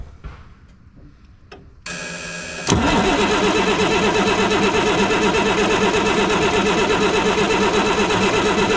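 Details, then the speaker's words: 1987 Ford L8000 turbo diesel truck parked 16 years: steady strong cranking about three turns per second but never catches; fuel reaches the lines but not the injectors, suspected faulty fuel shutoff solenoid. "Hold it. I'm not getting any fuel at the injectors."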